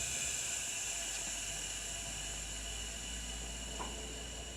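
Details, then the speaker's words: M939 truck with a stuck parking brake valve, freed by adding air-tool oil: on release, a soft steady hiss of air refills the lines while the spring brakes creak as they compress, a normal release. "and then i release it and it should add air to the system and push those brakes back"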